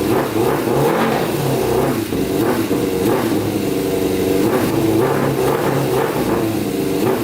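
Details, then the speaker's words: Custom Yamaha Banshee with swapped Suzuki Katana 600cc engine on pod filters: revs rise, then sag and stumble unevenly as a hand covers the carburetor intake; bogging because the starved-air mixture runs too rich. "all right so watch when i put my hand over the carburetor so see how bogs out that's from running too rich"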